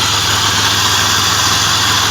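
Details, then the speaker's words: 1997 Pontiac Grand Prix GTP after replacing a burst radiator hose that dumped coolant near the front exhaust manifold: steady, even idle under loud hiss, no misses or knocks; antifreeze burning off, no leak, not a head gasket. "it's crazy i really thought it blew a head gasket or something but i lucked out and it was just a radiator hose"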